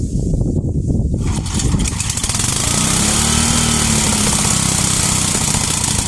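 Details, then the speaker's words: 33-year-old yard-sale Homelite 8 hp 4,000–4,400 W generator, fuel tank shut off, fires after a couple of pulls into an even, steady single-cylinder drone; runs and makes power, though it leaks gas. "Well, so it works. It runs, makes power, leaks gas. Not a big deal."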